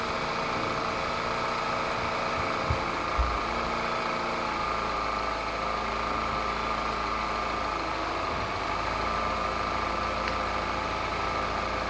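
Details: Peugeot 207cc EP6 engine after a slipped timing chain and resetting the timing, car long stood in a garage: smooth, even idle held steady with a faint belt hum and no knock or miss; running healthy.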